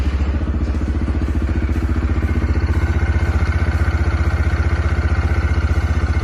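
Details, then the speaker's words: CF Moto Papio XO-1 mini bike, about one week of use, idling cold at standstill: steady, even thumping with a low, smooth exhaust and no knocks, normal. Owner says odd, annoying engine noises appear once the engine gets hot while riding. "ketika idle atau misalnya lagi posisi diam lagi dingin seperti ini Ini motor e biasa normal gitu"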